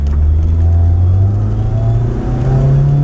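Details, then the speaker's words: Flood-damaged 1998 Mitsubishi Eclipse Spyder GS 2.4 L automatic under hard acceleration with the tyres spinning and sliding; revs climb, pitch drops and rises again as it upshifts cleanly; normal automatic shifting. "It shifts. Whoa, we're sliding. Oh my gosh, we're sliding all over the place. It shifts."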